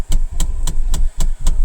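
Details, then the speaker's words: 2022 Mahindra Bolero Neo at idle: even dashboard knocking about four times a second; Mahindra service manager suggests a ducting issue, a solenoid valve that changes air flow; unconfirmed. "उन्होंने बताया शायद यह कुछ ducting की issue है और जब ducting का इशू उसमें कुछ सोलनाइड वाल्व होते हैं जिससे आपका जो एयर फ्लो है वो चेंज होता है।"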